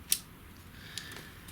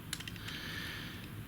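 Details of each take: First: Sony ZS-D5 boombox with no power and no CD playback, dismantled: sharp, clean clicks at irregular intervals in a quiet room as the CD door switch is actuated; meter testing shows the switch working normally. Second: Sony ZS-D5 boombox CD mechanism, gear train turned by hand: quiet plastic clicking and gritty scraping from a cog with teeth ground off, causing stiffness and slipping; replacement cog or module needed.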